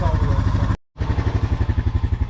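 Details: Oil change on a Honda (2008 Rancher 420 or 2021 CRF250F): even single-cylinder thumping at idle, steady beat with no misses or knocks, a healthy running engine.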